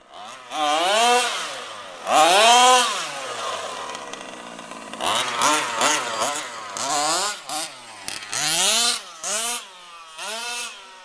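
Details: HPI Baja SS rebuilt from an eBay junker, Zenoah G320 two-stroke with V2 Dominator pipe on 91-octane ethanol-free fuel with Bel-ray oil at 32:1, during high-speed needle tuning: thin, high-revving screams through repeated sharp throttle bursts; slightly lean on top, later sorted.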